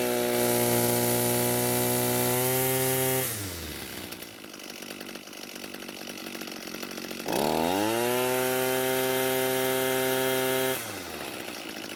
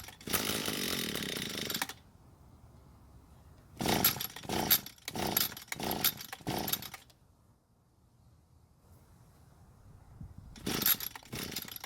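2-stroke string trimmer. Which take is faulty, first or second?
second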